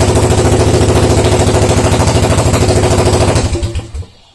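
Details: Suzuki DR750 first start after 10 years not running (15 years out of owner's possession): big single thumping evenly at about three beats a second, steady healthy idle, then shut off and dies away; normal idle.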